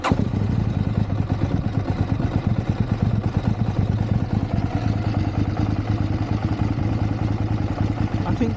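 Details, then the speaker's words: High-mileage KTM 790 Adventure with hard starting issues, Redex added: low, lumpy idle well below 500 rpm with heavy uneven thump; owner suspects one cylinder not firing and spark plugs as the fix. "Maybe I just think the first time it ever idle that low. Like below below a well 500 rpm."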